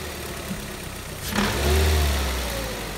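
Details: Engine heard from outside: idle, then a quick rev with a hard rattling tap riding on it; engine knock, cause unclear.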